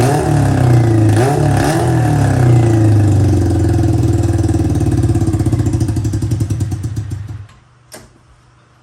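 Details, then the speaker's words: Honda CB400 four-cylinder engine with square-slide carburetors in an off-road golf cart, during carb vacuum sync tuning: revs up strongly, then uneven pulses and stalls instead of idling; owner suspects not all cylinders firing, cause unknown. "เบิ้ลได้นะครับมันเบิ้ลได้สุดเสียงเลยแต่ว่ามันเดินเบาไม่ได้ครับ"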